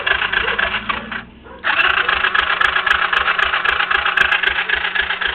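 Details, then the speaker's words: Yamaha Breeze 125 after a replaced wiring harness, voltage regulator and lighting generator, with oil seen inside: starter churns in an even chug, almost four beats a second, with a little throttle, but the engine never catches; crank, no start. "this is what it does give it gas give it a little gas it goes chug chug chug like it's going to start"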